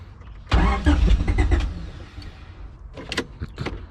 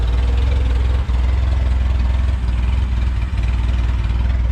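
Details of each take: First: Junkyard-assembled LSVTEC engine with temporary injectors, fuel type uncertain (smells like E85), small fuel leak, fuel pump running: starter spins it hard about 1.5 seconds, it catches briefly then stumbles out; cranks but won't keep running, cause unconfirmed. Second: Junkyard-assembled LSVTEC engine, first start: idling very low, deep and even with a soft steady pulse and no ticking or knocking; quiet, healthy normal idle.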